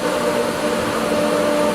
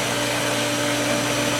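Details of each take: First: Pool pump after regaining prime from a dry vacuum line, left running to flush the line: steady, even motor hum with smooth water rush, no surging or gurgling; running normally. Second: Pool pump motor running with loud steady whir and a high thin squeal on top; bearings audibly screaming but pump still working while priming through the skimmer.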